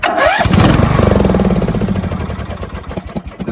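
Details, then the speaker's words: Briggs & Stratton 17.5 HP engine after a new battery replaced a four-year-old one (starter suspected slipping); a quick starter whirr, then it catches at once into a steady single-cylinder thump; normal start, the old battery was bad. "it's starting just like it's supposed to so I had a bad battery"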